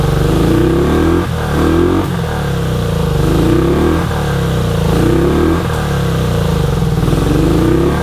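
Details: 1983 Honda VT250 V-twin, about 63,500 km, just revived project bike with freed seized carb slides: repeated clean throttle blips, picking up and dropping back smoothly with no rattles, knocks or misfires; healthy, though it needs a tune-up.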